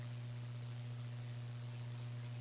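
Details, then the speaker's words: Small-form-factor PC build (Gigabyte RTX 2070 Mini, i7-8086K, HDPLEX 400 PSU), fans unplugged: steady low electrical buzz over quiet hiss; suspected from a streaming PC on the same wall circuit, unconfirmed. "the buzzing is worse now yeah maybe it's the streaming pc this is on the same wall circa as that"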